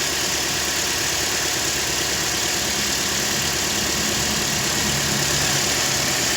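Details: Toyota Corolla 150 after replacing the cracked alternator overrunning clutch pulley: smooth, even idle with a steady low hum and no knock, rattle or chatter; the engine sounds healthy.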